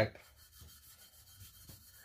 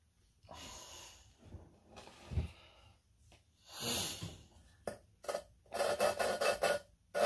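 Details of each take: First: 5.3 LS engine valve being lapped by hand after grinding was loud: soft quiet back-and-forth rubbing with little grit left, the grind almost gone as the valve seats evenly, before switching to fine compound. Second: Harsh, gritty back-and-forth scraping while lapping a 5.3 LS valve with coarse compound into an unseated seat.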